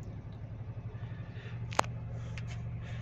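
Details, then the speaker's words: Renault Triber 1000cc Energy petrol engine just after a cold start, fast idle around 1000 rpm, expected to settle to 800–900 rpm: a quiet, steady low hum with no knocks, a normal cold fast idle. "Hello friends उसका cold start है"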